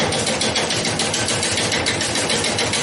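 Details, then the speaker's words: Tapping of the gouge on a bowl blank cut from a yard tree, still off balance and not yet round, at relatively low lathe speed: a steady, fairly even tapping about twice a second as the tool catches high spots. "you can hear that tapping. It's still not, it's obviously not round yet. So we're just going to keep working on that until we get this roughed into a pretty round shape."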